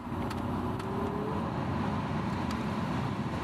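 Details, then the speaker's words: 2001 BMW 330i blower fan after replacing the blower motor resistor, with the ducting refitted: a smooth rush of air whose faint tone rises as the fan speeds up, then holds steady at higher speed; the fan runs normally again. "Oh, instantly got the fan already. Hear it? I don't know if you can hear that or not, but I have a fan."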